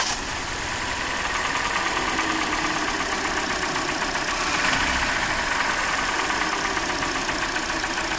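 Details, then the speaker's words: Hyundai Elantra 1.8 engine, 69k miles, idle: fast light ticking about four per second, louder when cold, unchanged with cylinder two disconnected; owner suspects piston slap, which should reduce when the cylinder is killed. "I can still hear it. It's still there. So, usually it should go away a little bit, not all the way, but if it's a piston slap, okay, it should reduce, okay."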